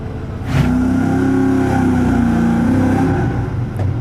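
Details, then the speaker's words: V8 converted from carburettor to self-learning EFI, possibly still cold and idling fast with the throttle blade fully shut. The exhaust beat is slightly lumpy with an uneven stumble: a suspected light misfire, not yet confirmed. "The issue we're having right now is that it sounds like it has a little bit of a misfire."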